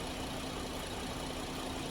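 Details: 2010 GMC Acadia 3.6 L, sat two years, idling after timing chain, sprocket and VVT actuator replacement; codes still to clear, fresh coolant: smooth steady low idle with no ticking, knocking or rattle.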